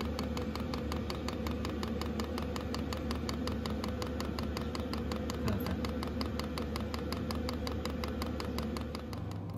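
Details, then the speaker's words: 5kW Chinese diesel heater in an underslung stainless box under a Mercedes Vario minibus, starting up as the pump delivers fuel: steady hum with even ticking about two clicks per second. Normal running. "pump is on filtering here the heater kicking up now i'm just getting that delivery of fuel"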